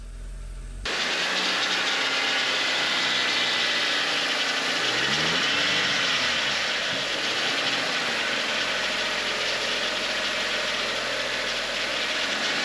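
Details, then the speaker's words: 2007 Audi A4 2.0 FSI, 141K miles, just started after engine rebuild: the engine hunts at idle, revs sagging and rising with an uneven rattly beat; rough unstable idle, cause unconfirmed (tensioner rattle or misfire suspected), idle slowly improving. "yes yes yes yes all right yes no leaks baby it's having trouble holding idle"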